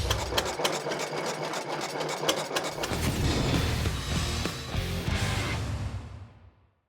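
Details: Cummins Model C single-cylinder diesel, circa 1920, rated 6 hp at 520 rpm, 1,100 lbs: slow, even thumping at a steady beat, firing cleanly and winding down smoothly at the end; healthy old diesel running normally.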